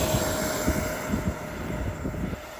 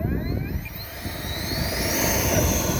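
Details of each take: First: FlyFans Baltic B L39 64mm EDF jet after replacing its power system (thrust about 900 instead of 500–600): steady, high, even fan whine fading as it climbs away, no surging or rattle; healthy thrust. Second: FlyFans L39 electric ducted-fan jet on a 4S 2600 battery instead of 6S, during the takeoff run: fan whine climbs and wavers as thrust drops out briefly several times. The motor is sputtering under power; the cause is unconfirmed, and the power system was later replaced.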